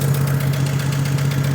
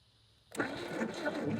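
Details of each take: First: 1956 Chevrolet 235 straight six, parked since 1989, first run on carburetor fuel only: steady, even idle with a low drone and smooth regular firing, no miss, knock or smoke; runs healthy. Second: 1950s Chevy with 235 straight six, parked since 1989, with starting fluid and a stuck throttle: long steady starter cranking about four turns a second with no catch; cranks but won't start.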